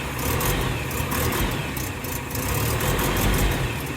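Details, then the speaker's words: Land Rover Series III 109 FFR, first start after about 8 months unused, with choke on and smoking. The idle is uneven and chopping with irregular low thumps; the owner plans new spark plugs. Idle misfire, cause unconfirmed. "Right, so decided to stop there because it is chopping. There's clearly a misfire, so we need the new spark plugs to come."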